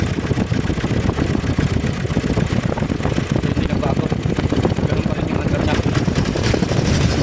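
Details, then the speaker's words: 2019 Nissan Terra diesel, automatic, revved to 4,000 rpm: uneven, stumbling idle with lumpy rumble, shaking the door; misfire traced to water-contaminated injectors on cylinders one and four. "so yan mga sir ah may problema to sa injector sa dalawang injector ang problema sa number four t saka sa number one"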